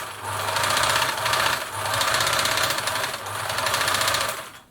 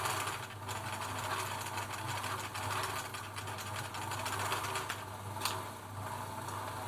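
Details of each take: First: German-made Singer 760 sewing machine being assessed before lubrication: runs in bursts with a dry busy rattle over the stitching rhythm; hook race dry, noise drops noticeably once oiled. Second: Singer 760 sewing machine (German-made 700 series) running after a single oil point on the dry hook race: even, quick stitching chatter, no harsh dry hook clatter, now smooth and well oiled; normal running.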